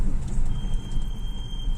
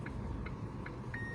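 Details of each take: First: Chery Tiggo 7, cold in the morning, while driving with the brake pedal pressed slowly: thin steady high-pitched squeal lasting over a second; brake squeal, source still being investigated. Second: Chery Tiggo 7 with genuine brake pads after about 600 km, slow parking roll: only the parking sensor pipping about every 0.4 s; pads work softly with no squeal, scrape or rattle.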